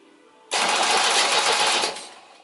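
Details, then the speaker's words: 1972 MGB GT restoration after wiring up: quick, even whirring crank about 1.5 seconds, spinning briskly with no drag; starter turning the engine over properly. "Is that spinning over quickly? Yeah. Yeah. Proper. Nice."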